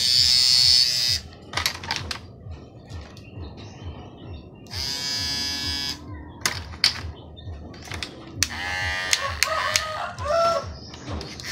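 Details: Hair clipper switched on in short bursts gives a harsh rattling buzz from loose blades. The noise comes from the spring-like part under the removed blade.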